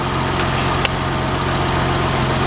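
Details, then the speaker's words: 1990 BMW 325i E30, first cold start after timing belt, water pump, seals, hoses, cap and rotor replaced and intake cleaned: smooth, even idle with steady hum, no knocks, ticks, misses or former idle surge; normal idle. "Timing belt, water pump, all the seals, new hoses, all kinds of opportunities to have new leaks, but it sounds really good. Really good idle for a cold start."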